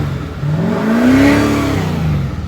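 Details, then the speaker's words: 2014 Chevy 2500 Duramax that ran rough, smoked heavily and wouldn't accelerate with no check engine light. With the EGR valve unplugged on the partially deleted EGR system, it revs cleanly and freely with no smoke. "no more smoke. And she will accelerate."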